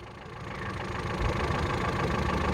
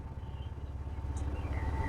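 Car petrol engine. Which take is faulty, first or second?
second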